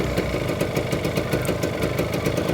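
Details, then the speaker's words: Kawasaki Ninja RR two-stroke, CKD engine code 1855, previously lost power and had its wiring harness replaced: rattly, uneven idle with fast ticking over a low drone, the engine-block sound to avoid; scored cylinder possible but unconfirmed. "Dan ini pastikan suaranya masih halus ya teman-teman. Atau syukur kalian masih dapat yang ini masih segel. Karena apa? Ini bloknya mahal teman-teman. Kalau misal Ninja kalian bunyi seperti ini,"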